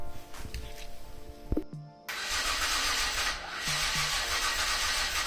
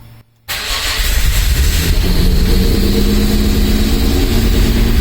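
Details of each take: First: Mazda MX-5 with Rocketeer Jaguar V6 swap, first start attempt on a not fully charged non-original battery: starter cranks at a steady rate with brief stumbles but never catches; cranks without starting. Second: Mazda MX-5 with Rocketeer V6 swap kit, first start, running in wasted-spark mode not fully sequential: catches after short crank and settles to strong fairly even idle with a little throttle; sounds healthy.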